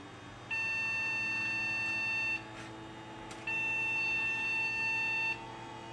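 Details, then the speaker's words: Gateway G6-350 chassis with a transplanted newer motherboard that worked before the move: long two-second beeps with one-second pauses from power-on; possible memory issue or a bad fan suspected, not confirmed. "okay so I soon as I plugged this thing in it turned on and started beeping violently at me um not sure what's going on because this thing worked before I pulled the motherboard out of the other chassis"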